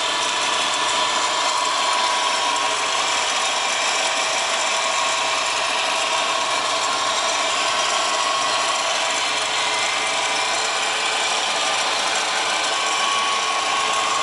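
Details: Subaru WRX GDB running: fast, even ratcheting chatter with a thin whine over the engine, steady throughout; strange noise traced to a bad A/C idler pulley.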